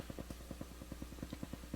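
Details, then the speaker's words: Crown CSC-850F amplifier, returned unit, at full volume in tape mode, recorded with stereo microphones: a low steady hum with regular pops about ten a second where only hiss should be. Owner suspects the record switch needs cleaning again; cause unconfirmed. "So there's a noise. I don't know what it is. Probably coming from the recording bar switch, needs to be cleaned again. But it shouldn't be making anything."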